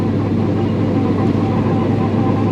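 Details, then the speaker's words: 1966 Nova driving after a new ring and pinion and Yukon posi install; steady low gear hum under road and engine noise, rear axle whine, suspected cheap gears or install error; driveline vibration also noted in 5th gear. "Also, full disclosure, because you know how this channel is, we do have a whine. I don't know if you can hear it."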